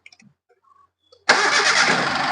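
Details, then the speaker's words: Hyundai Eon after no-start complaint was repaired: starter catches within a second and the engine settles into a steady, even run on restart; healthy normal start. Air filter clamp found loose. "നമ്മളിപ്പോ of ചെയ്ത് start ചെയ്തപ്പോൾ വണ്ടി correct ആയിട്ട് തന്നെ start ആണ്"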